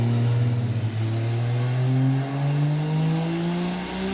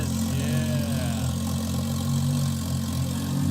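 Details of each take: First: Roadkill 1968 Dodge Charger with swapped Toyota 2JZ turbo engine on a dyno pull: hard pull with steadily climbing pitch, then a sharp bang near the top as something lets go. Too much boost, 28 psi at 4700 rpm, making 370 hp and 419 lb-ft. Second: 1968 Dodge Charger with a turbo Toyota 2JZ engine, running for the first time: a steady, even low idle with a smooth unbroken rumble and no knocks or stumbles; normal idle.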